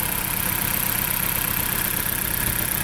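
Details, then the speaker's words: 2008 Dodge Caliber at idle with new spark plugs, coils unchanged: irregular low chuff and stumble from a misfire; engine and downpipe to catalytic converter shaking, runs very roughly; coils next to replace. "Sounds like the car is misfiring. And it looks like the cat converter looks like it's shaking."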